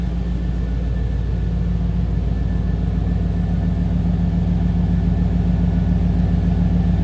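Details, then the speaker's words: 1994 GMC Sierra 1500 Sterling coach conversion, 5.7 L 350 V8, 75,655 miles: nice throaty exhaust note at idle, deep steady rumble with smooth even beat, no ticking or misses; idling cleanly. "Nice throaty exhaust note. Little rumble coming out of that 5.7 L."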